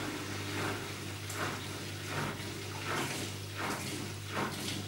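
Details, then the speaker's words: Zanussi/AEG/Electrolux washing machine in diagnostic mode spin test: low steady drain pump hum with water swishing about once a second as tub empties before drum spins; normal. "The machine is now empty. You can hear the pump pumping."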